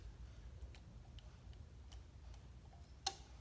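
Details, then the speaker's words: Garage door opener with a suspected short somewhere in its circuit board: faint irregular ticks, then sharper clicks as the unit cuts out and back in when moved; relay chattering intermittently, so it sometimes won't turn on. "like that, it turns off and on. And so when my wife comes in to turn it on, it doesn't, and she says, it's not working."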